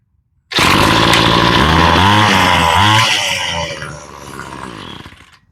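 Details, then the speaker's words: Ryobi two-stroke string trimmer after carburetor rebuild and new fuel lines, long stored: fires at once, revs cleanly up and down, then settles and winds down; running normally. "that sounds pretty good that came out pretty good"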